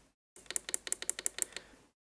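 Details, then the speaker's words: Rebuilt racing wheel's upshift and downshift paddles after screwing down: about a dozen crisp, evenly spaced plastic clicks in just over a second, no rattle; differing sound is just the micro switch, working properly. "up shift downshift it does have a different sound to it but that's just the micro switch"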